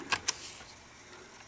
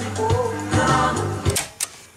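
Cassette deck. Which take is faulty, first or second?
second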